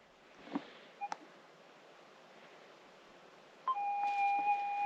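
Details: Minelab GPX 6000 metal detector in manual mode, sensitivity seven clicks: a few short button beeps, then a steady faint tone comes on and holds; threshold hum switched back on.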